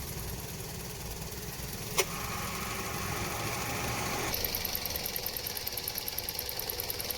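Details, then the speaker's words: Toyota Vios at 260,206 km after AC repair with standard Denso parts, new condenser and leak fix, tested at idle in sun with hood closed: steady idle, compressor and fan humming smoothly, fan cycling, cabin air cooling; normal AC operation. "ระบายดีครับแอร์ปรับต่อดีปกติทุกอย่าง"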